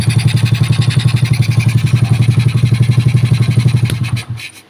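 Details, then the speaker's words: Old Supra Fit single-cylinder rebuilt over two days, air filter not yet fitted; an even exhaust beat near four pulses a second with no knocks or misfires before it is switched off, a smooth, healthy idle. "Nah, ini kan sudah halus ya mesinnya."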